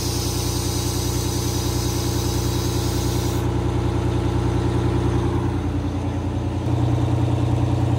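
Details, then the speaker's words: 1989 Grand Villa two-stroke Detroit diesel idling while the air ride levels: low, even drone with a regular beat near 200 a minute, holding steady without misses; sound idle. "why don't we get out of your Port range at Old Detroit just sounds so good"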